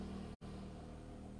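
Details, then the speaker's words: Noisy mini desk fan after repair, the blade balanced by tapping it and refitted: the fan now spins with a soft, even hum and no squeak, ticking or rattle; normal running. "Nah tuh udah enggak bunyi Kak Kikik lagi ya kita coba nyalain Bang 1 2 3 colok nah tuh nah nah nah nah nah enteng Bang enteng nih dua enteng juga nih nah"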